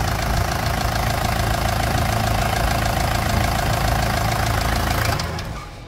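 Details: Toyota Land Cruiser Prado diesel at idle with a dull, fairly even knock about three per second until shutdown. Oil pressure reads 35–43 PSI. Piston slap on worn liners is suspected, and the engine is later removed and torn down for repair.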